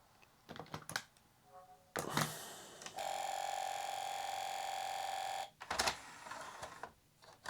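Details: Modchipped Sony PlayStation 2 drive with a DVD inserted: sharp ticks and clicks, a couple of seconds of spin-up whir, then more ticking, and an unable-to-read-disc error. The mod chip is suspected of killing the DVD laser.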